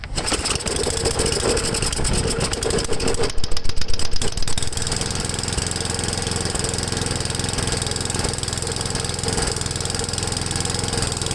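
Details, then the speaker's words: Ariens 8HP Tecumseh engine, new replacement carburetor (old one had swollen needle seat and bowl O-ring), warmed up: small single-cylinder thumps at idle swelling and sagging unevenly; idle surging, owner unsure whether low idle mixture or high-speed adjustment causes it. "so so the log fixture screw and she's got a surge in it"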